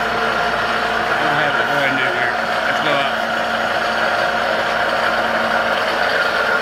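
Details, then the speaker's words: Old Cincinnati D1 Toolmaster mill under restoration, spindle switched on: steady mechanical whir with faint rattling hum; suspected bearing or bushing at the loose variable-speed pulley, cause unclear. Spindle running noise. "noise you get in here barry meant something good i'm like a bearing i don't think it's there's a bearing there"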